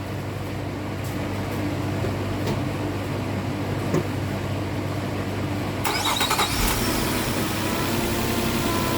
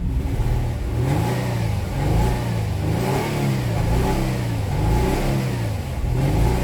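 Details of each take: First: Nissan Maxima petrol V6 on first start after misfire repair idles smoothly and evenly, misfire gone; a brief clicking burst is the AC clutch engaging despite no Freon in the system. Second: 2009 Nissan Maxima 3.5 V6 with no codes, revved repeatedly: choppy, uneven exhaust note stumbling as revs climb, misfiring on snap throttle down low and clearing around 3,000 rpm; an arcing condition is suspected.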